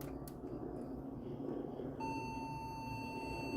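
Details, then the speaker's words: Thrift-found early-to-mid-2000s Medtech Pentium 4 PC, dusty, first power-up: steady unbroken high-pitched POST beep over a quiet room; suspected RAM problem, not confirmed. "beeping sounds like a ram problem"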